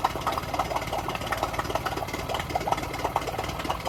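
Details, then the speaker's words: Yamaha 9.9hp four-stroke outboard in a water test tank, only runs on choke: uneven, lumpy, raspy idle, nearly cutting out when the choke is pushed in; suspected fuel starvation, with a primer bulb that won't decompress. "So it almost cut out as I put the choke in. As it was cutting out, I quickly pulled the choke out, and sounds like it's just about idling. But yeah, it's all about the fuel."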